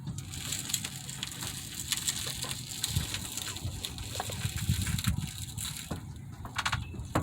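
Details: 1997–2001 Honda CR-V, badly out of alignment, steering turned hard: dull irregular clunks over low rumble; inner tie rod, showing leakage, suspected over CV axle, found worn.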